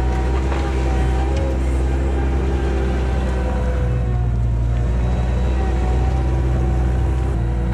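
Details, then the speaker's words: 1999 Bobcat 864 tracked skid steer digging with a rebuilt right-side drive motor that replaced a weak, whining one: deep even diesel rumble, steady under load, no knocking or straining; smooth and healthy. "I mean I probably put you know a short hour on it just now digging in the dirt but you know it's doing what it's supposed to do and it's nice and smooth that doesn't stop or anything"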